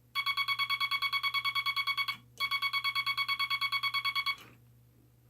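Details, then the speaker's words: Telegraph bug with the dot stabilizer installed, wire preloading the dot contact spring: two quick runs of tone dots, about ten a second, evenly spaced with no stutter or dropouts; the key sends cleanly. "So here is the stabilizer installed."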